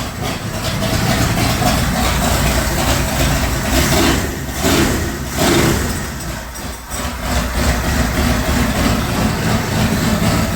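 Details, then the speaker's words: Ford Bronco V8 started after sitting about three months, with probably original Motorcraft parts. Idle surges and dips unevenly every few seconds instead of holding a steady beat; sounds like it's loading up. Rough idle, cause suspected, not confirmed. "sounds like it's loading up a little"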